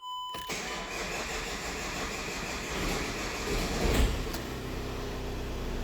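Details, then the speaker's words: VW Crafter with intermittent long crank: steady starter churning for several seconds before it starts. Fuel pressure built in 2.6 s, but cranking continued 4.8 s more, so fuel pressure is not the cause. "even once fuel pressure was achieved we can continued to crank for 4.8 seconds so yes it did take longer that time to achieve fuel pressure but it still took 4 seconds after the fuel rail pressure had got up in order for it to start"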